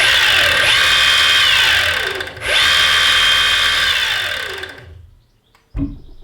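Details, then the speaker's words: 2-year-old Evolve Carbon GT electric skateboard on a test ride: a high electric whine from the drive unit rises and falls with motor speed, then cuts out; the owner thought a changed drive-unit part should have stopped this noise. "the strange noise you hear then is again just I thought that change part of the drive unit in their head should we stop making that noise"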